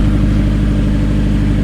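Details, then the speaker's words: Nissan Pulsar GTiR, first start of a freshly built fully forged engine: even, steady low idle with smooth unbroken pulse, no tapping and no smoke; running healthy and quiet. "It just sounds like it. There's no tapping at all, is there? Nothing. There is not. No, it's silent."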